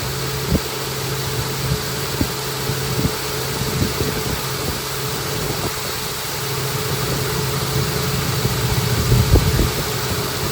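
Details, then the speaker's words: High-mileage Honda Pilot, morning cold start at 58° after timing belt tensioner replacement for a cold-start rattle: steady, even idle with a fan whirring behind it, no rattle; nice-sounding healthy engine. "morning yep that's the nice [Music] sound okay fin off that's a nice sounding engine"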